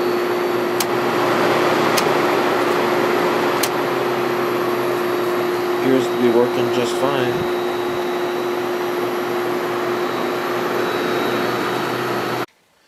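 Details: 1973 Whirlpool 6,000 BTU air conditioner after replacing its failing capacitor with a new Dayton 15/3 µF 370 V unit, run on low fan: steady low hum, even fan rush, no clicking; the old capacitor made the compressor hesitate, now it starts stronger.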